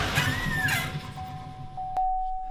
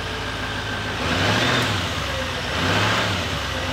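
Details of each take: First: Salvage 2018 GMC Sierra 3500HD at idle: a thin, steady high whistle over the engine rumble, from exhaust escaping past the gasket at a possibly bent EGR pipe flange; exhaust leak whistle, fix is to replace the pipe. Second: 2018 GMC Sierra 3500 HD rolled salvage truck: engine revs up and down smoothly, no whistle or leak hiss; noise gone, runs normally.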